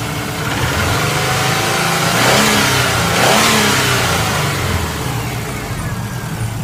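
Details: Subaru Impreza turbo GC8 flat-four idling and revving with a steady metallic knock riding on the rhythm, rising with revs; owner suspects worn bearings (metal), not confirmed.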